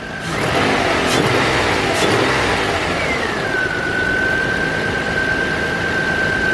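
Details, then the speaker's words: 2000 Nissan Maxima GLE that stalled on starting and at stops, after throttle body cleaning: revs up cleanly, drops back and holds a steady idle without stumbling; the idle kicked up slightly, showing the idle air control valve working. "and if you heard that just a second ago the idle kicked up a little bit which means I know that idle air control valve is doing its job"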